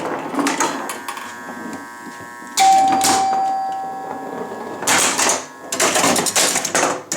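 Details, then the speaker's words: Chicago Coin Blue Max electro-mechanical pinball after score wheel and relay repairs: chimes ring, relays clack, score motor whirs in bursts as game starts, serves the ball and advances; normal game play. "We've got it now where it's sort of playable. Comes to life, bends the ball."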